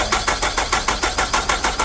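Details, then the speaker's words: Nissan Altima that stalled suddenly while driving, no codes, crank sensor signal OK: the starter spins the engine at about seven pulses a second but it never fires; crank no start, no spark, with no power at the ignition coil. "क sensor सही है लेकिन spark नहीं आ रहा है कोई spark नहीं है स्पार्क नहीं है"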